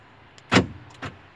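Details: Right door central locking motor replaced with a new one after the previous unit became noisy, temporary wiring test: one quick firm clunk then a lighter click, no grinding or buzzing; noise gone, normal actuation.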